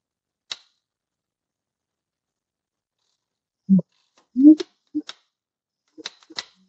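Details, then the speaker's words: Allis Chalmers tractor (Allis B or similar) magneto, installed on the engine and turned slowly by hand during timing: sharp single impulse-coupling snaps. It fires right at top dead center on the 30 degree mark, which is good. "all right start rotating it clicked as soon as it got there let's see what the next one is I'll try to go slower okay this is 30 degree mark that's just firing right at top dead center that's pretty good"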